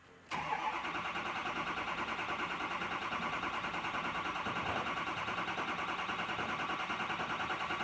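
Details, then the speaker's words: Ford F350 6.0L diesel with crank-no-start, after repairs and on weak batteries with a charger: steady, even cranking about three turns a second for many seconds before it catches and runs; long crank before start. "We're just gonna go around, Matt, and then we can wrap up this video. So it's gonna take a little while to crank."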